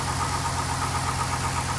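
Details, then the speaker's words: LS V8 truck before repair of broken manifold bolts: quick, even ticking over a low idle rumble from an exhaust manifold leak, to be fixed with a clamp-on stud kit. "I'm gonna do a start up on the truck let you listen to the exhaust leak and once I get this installed and we'll restart it and that should take care of the exhaust leak"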